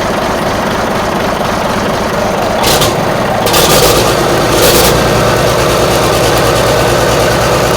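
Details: Marmon 57P Aero truck, newly installed diesel engine at first start after fueling injectors: heavy idle with uneven, stumbling beat and a few air hisses; sounds like it's missing on a cylinder or two, cause unconfirmed.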